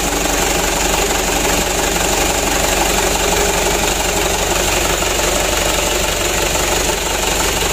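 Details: Mitsubishi Canter diesel that was hard to start, after plunger replacement: engine now starts and holds a steady, even idle clatter with no misses; running fairly well, engine shake still to be adjusted.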